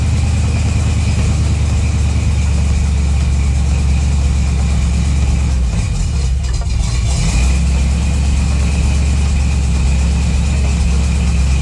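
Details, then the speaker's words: Chevy Nova with a new 408ci small-block V8, first fire-up: deep, steady rumble with an even beat and one brief blip, idling smoothly with no knocks or ticks. Runs fine; shakedown and wiring still to do. "well guys there you have it she fired up and ran that's what we wanted to do we accomplished our goal"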